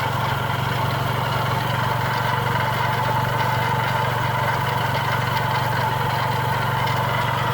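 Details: Chrysler PT Cruiser engine running, heard from outside the car: steady rough scrubbing rattle and constant whir, reported as a knocking noise; timing belt removed at teardown and noise traced to a failing water pump bearing.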